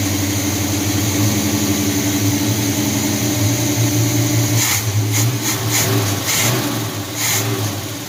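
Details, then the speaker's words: 1978 Chevy C10 350 V8 after new Edelbrock intake, water pump, belts, thermostat, hoses and valve covers: deep, even idle burble with no stumble or skip; earlier misfire gone, owner guesses old intake was leaking; timing seems correct. "Oh yeah, sounds a lot better. Took care of that mist that it had. Used to have a misfire. I guess that intake was leaking before."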